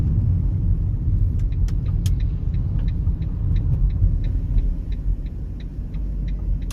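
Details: Fiat Doblo 263 front suspension rattle and clunk while driving, irregular sharp clicks about twice a second over road rumble; persists after changing drop links, no play found in ball joints or steering rack, source not pinned down.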